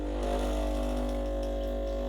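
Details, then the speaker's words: Breville BES870 pulling a double espresso shot with pre-infusion, then full pressure on the gauge. Even buzzing hum and steady drone with no stutter or rattle; the pump builds and holds pressure normally. "keep it on the pressure gauge it'll tell you how good your ground your coffee pre-infusion pressure and then full pressure"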